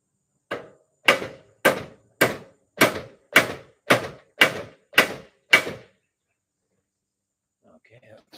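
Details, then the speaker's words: Colson bicycle bottom headset race being hammered in: about ten blows, roughly two a second, going from dull wonk to hard whack as the race seats home; fully seated, stop pounding. "did you hear the tone difference kind of a wonk wonk and then a whack whack that means it's in there and if you keep pounding on it bad stuff's gonna happen so it's in there it's good"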